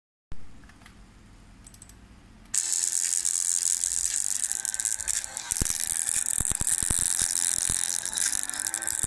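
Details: Laptop internal speaker: harsh hiss with irregular sharp crackles and pops and muting after a quiet start; owner unsure whether software or the speaker is at fault.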